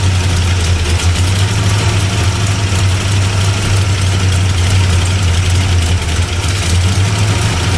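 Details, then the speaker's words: 1975 Plymouth Roadrunner V8, first start after sitting about 20 years, running on the battery: low, heavy, slightly uneven loping idle; runs rough, might be flooded or lean, timing unchecked, cause not confirmed. "Might be flooded. Runs a little rough. Oh. Yeah, that sounds like it's lean."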